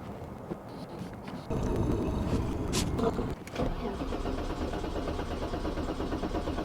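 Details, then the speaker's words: 1989 BMW 535i E34 M30B35 six, long-stored, fuel gauge reading empty: starter churns the engine steadily but it never fires; crank, no start. "that should just crank all right crank no start as we suspected now we're going to jump into the troubleshooting"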